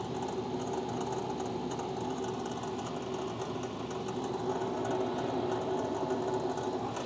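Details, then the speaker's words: Red Bull mini fridge with the microphone placed inside: the interior fan (8038) gives a fast, uneven buzzing rattle over a low hum. The outside fan was already replaced; the interior fan is believed destroyed and needs replacing. "the inside rattles quite a bit and from what i can tell i bought one fan and i replaced it on the outside i think what it is that there's another fan that's also just destroyed"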